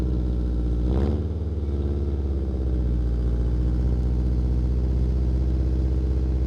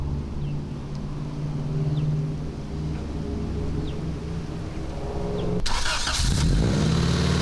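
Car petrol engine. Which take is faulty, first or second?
first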